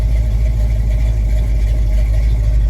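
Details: 1983 Chevy C10 with cammed Mr Goodwrench 350 crate V8 and used 500cfm Holley 2-barrel, no choke, cold start: deep, steady V8 rumble at fast cold idle, even with no misses or knocks; runs fine.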